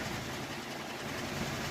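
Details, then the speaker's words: Normal final spin of a 3-year-old Whirlpool super capacity top-load washer with a heavy load: steady smooth whoosh from a fast-spinning drum with an even hum, no thumping or scraping; quiet, healthy spin. "smooth spinning nice and fast show you here you're never really supposed to open these up during the spin cycle but like shouldn't people but they are spinning really fast"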